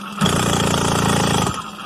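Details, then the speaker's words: Phantom 85 small two-stroke motor bike after popping the clutch: a sudden rapid, harsh rattling clatter for about a second. The owner says it is not the chain, gears or brake but inside the motor. "see my brake ain't making that noise actually inside the motor"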